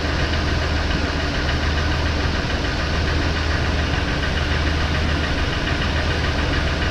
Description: Not sure what this noise is, had the same in our other expedition. 5.4 2valve v8 2004 eddie bauer expedition.